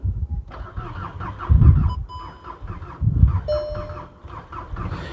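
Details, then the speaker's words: VW Golf GTI Mk6 being rebuilt, cylinder one with no compression, others good, apparently weak battery, little fuel: starter turns slowly and unevenly in labored bursts without catching; slow cranking, no start, cause unconfirmed. "Let me start the car up again and try again. I started the It wants to go, but it's just something stopping it."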